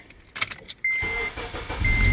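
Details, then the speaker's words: 2006 Acura TSX after ignition switch replacement, fixing dash buzzing left of the steering wheel and hard or no starts: short chime, engine fires on first turn and settles to steady idle with no buzzing; normal start. "fires right up no buzzing and let's go for Number Three Fires right up no buzzing so we have fixed the issue bad ignition switch"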